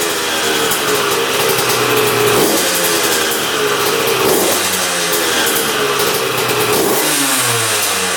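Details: 2001 Honda CR125 two-stroke dirt bike, started after fix-up (seller claimed new crank, piston, gaskets, seals), choked: loud crisp buzz rising and falling cleanly with throttle, no stumbling or bogging; running pretty darn good, normal.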